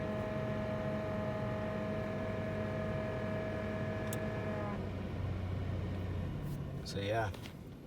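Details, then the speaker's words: 2005 Toyota Tacoma with AC on and gas pressed: loud, steady high-pitched whine over the engine that cuts out abruptly, leaving plain engine rumble; owner unsure of cause. "all right so my 2005 Toyota Tacomas making some weird high winding noise and I can show you guys right here never I turn the AC on and press on the gas"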